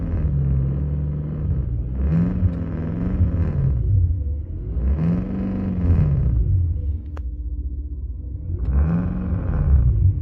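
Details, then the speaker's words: BMW M6 Gran Coupe (F06) with Active Sound Design coded off, revving in neutral: low hollow exhaust-like drone rising and falling with each rev; booming drone, owner suspects a blown rear speaker driver with torn spider. "ASD is supposed to be off, but I'll drive the car and it sounds like the exhaust's blowing and no what it is. Is this that back speaker?"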